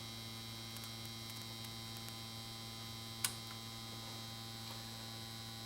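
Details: 1953 Chevrolet Deluxe Two-Ten tube car radio, model 986668, vibrator supply from 6 VDC, checking plate-to-ground winding (about 300 V, spec 280-290): steady even hum with fine high buzz, no crackle or stutter; normal vibrator power supply, transformer stays cold.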